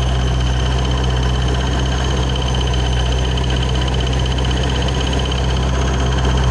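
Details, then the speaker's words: 2006 Ford Mustang GT 4.6 with a ProCharger supercharger and an unusual noise; steady low idle with an uneven flutter about four beats a second from the slack belt flapping; loose drive belt, a pulley behind the bracket also suspected. "well I can definitely tell the belt is loose it's sitting here flapping away"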